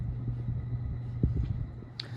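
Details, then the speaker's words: c.1985 50" bright brass Casablanca Delta II five-speed (Slumber 5) ceiling fan on medium-high: steady low hum and rumble with soft knocks as bearings get busy and loud; worn fan motor bearings. "so here's medium high as you can hear the bearings are really starting to get get get busy now being loud at least"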